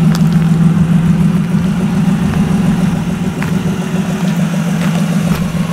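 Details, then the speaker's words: EF car idling after replacing a broken line running from near the fuel filter to the manifold, jump-started: a steady, low, smooth hum with no knocks, misses or hissing. Normal idle. "so we replaced it now this thing's running great sounds good we had the jump started but not bad"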